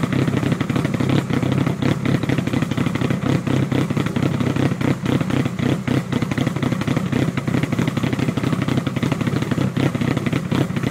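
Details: Mitsubishi Evo 1 4G63T fully forged with 264 cams: choppy, very rough loping idle of about four pulses a second from the aggressive camshafts.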